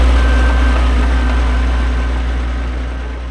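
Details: Vintage TD9 bulldozer diesel after starter motor repair, shim added behind the worn starter drive so it engages: deep, steady chug of about four beats a second, settling evenly; idling healthily.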